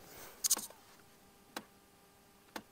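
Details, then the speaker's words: 2003 pre-facelift Mercedes W203 C200 CDI 2.2L, heard in the quiet cabin right after ignition on: sharp dry clicks about once a second from the undersized automatic climate control flap actuator motor up in the dash; fix was setting the flap half open. "hört dieses Klacken ganz klar. Da oben ist ein Stellmotor drinnen."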